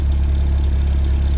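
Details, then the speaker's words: 1987 Jeep Comanche pickup after replacing alternator, water pump and idler pulley (worn pump bearing), Seafoam added: deep, steady, even idle with no misses, knocks or ticks; idling better than before. "Seems like it's running a little bit better. I put some seafoam in it. That's what all the stuff is blowing out of here. But it seems to be idling a lot better."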